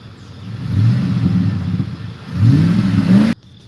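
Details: 2008 Ford F150 V8, tuned, after earlier ticking suspected from cam phasers following a drive through flooded road, coolant 204°F: revs pick up cleanly and fall back with smooth even roar, no tick now; owner suspected slight misfire earlier.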